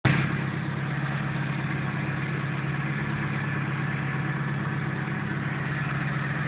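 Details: Nissan 180SX SR20DET turbo petrol engine running: a rough, busy rattle over a low drone, traced to a dented sump restricting oil to the pickup, starving the engine of oil.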